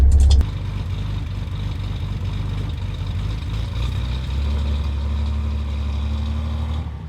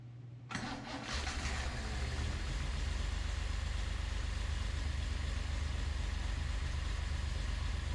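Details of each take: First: Datsun 240Z with freshly assembled engine, carburetors and electric fuel pump, on its first drive: smooth, even engine note rising gently as the car pulls away, no knocks or misses; engine running properly. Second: Datsun 240Z after engine rebuild, distributor rotor/cap orientation reversed with wires swapped as a test: cranks and catches, then low, lumpy, uneven idle around four beats a second; incorrect ignition timing, later set to 8-10° BTDC.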